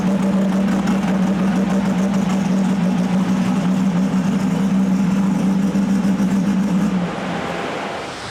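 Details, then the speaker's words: RB-engined race car being tuned: loud sustained pull with steady drone and slightly ragged beat before dropping off; number four cylinder cutting out under load, suspected coil or injector peak-hold setting, not confirmed. ">> Number four's off the outer again. We'll um I think we'll either swap the coil or see what he says, cuz he keeps doing something with the injector."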